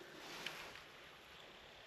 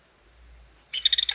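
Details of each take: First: PSP 3000 Slim with a formerly loud UMD drive, after lubricating it with silicone oil on a cotton bud: only a faint soft whir and light hiss while reading a disc, no scraping or rattle; the drive now runs normally. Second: PSP 3000 Slim loud UMD drive, long stored, loading a disc: short high-pitched buzzing chatter of about six quick pulses as the laser moves, traced to the laser's motion, not the disc spindle; dry laser sled motor.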